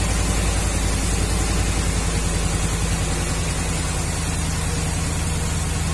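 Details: 2011 Ram 1500 5.7 Hemi at idle, flashing check engine light, code P0305: uneven loping V8 idle with a recurring dropped beat; coil primary waveform normal, diagnosis found worn number 5 intake cam lobe causing cylinder 5 misfire.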